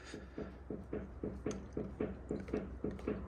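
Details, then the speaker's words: Ford Fiesta TDCi, car rocked by hand after test drive: regular light clunks about twice a second from one front side, knock also heard driving; owner suspects the drop link. "guys I've just been um out for a little test drive with his car there is definitely a knocking noise coming from the suspension at the front"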